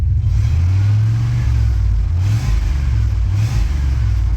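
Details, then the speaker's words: Pickup truck that revs fine but won't pull under load: rumble sags and cuts out; running very rich while scanner reads lean, computer cutting fuel, O2 sensor suspected. "and it starts cutting out. So, that tells me that it's running too rich and the uh computer's automatically cutting it back because we're trying to lean it out, which means we got a sensor going out."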